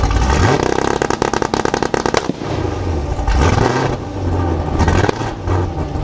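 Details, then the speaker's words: 2019 Camaro SS with Pray Stage 3 cam, ported heads and intake, Speed Engineering headers with catless X-pipe, E85 and nitrous: loud, crisp exhaust pops and crackles at 2500 rpm while the two-step limiter holds revs, which then drop and rise again. Normal two-step limiter pops. "I think that's because of the two-stepping when it pops it gets really loud"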